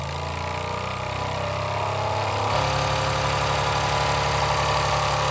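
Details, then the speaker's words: Old Jensen #35 live steam engine, double-acting, first run in decades, electric boiler heated about 10 minutes at about 100 volts, variac being turned down: hiss gives way to even chuffing about three beats a second; runs smoothly with plenty of pressure. "I believe we got plenty of pressure. We'll turn this variac down."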